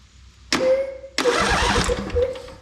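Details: Engine on a John Deere 190c riding mower with a faulty ignition switch, started by jumpering the power wire to the start-solenoid wire: starter spins about half a second, pauses, then the engine catches quickly and runs up; normal crank and start.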